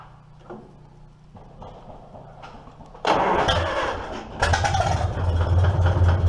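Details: 1947 Farmall M first start after clutch removal and belly pump service: starter cranks, engine catches and settles into steady even idle about three and a half beats a second; pump noise stops, normal.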